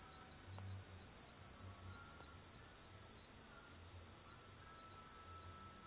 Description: Seems like the drive is dying, very slow transfer speeds and high pitch noises.